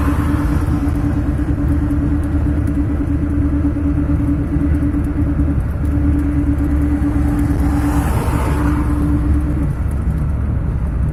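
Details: Steady mid-pitched bearing hum over road rumble, only in gear (3rd, 4th, 5th), mostly on throttle or engine braking, stopping with clutch or neutral; not affected by swerving, so hubs doubted; returns 10-15 km after standing. Source unconfirmed.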